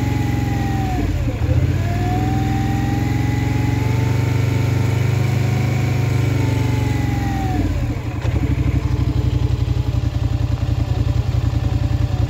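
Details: Polaris Scrambler XP1000 S revs up and settles, then a fast uneven pulsing rattle rides over the idle; weird abnormal engine noise, source unclear.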